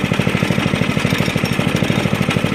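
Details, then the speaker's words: 1983 Stinger go-kart under restoration, idling after a clutch check: a fast, steady clatter over the small engine comes from the loose steering wheel rattling, while the engine itself sounds good. "okay it's the steering wheel making all that [Music] noise see the engine sounds good though"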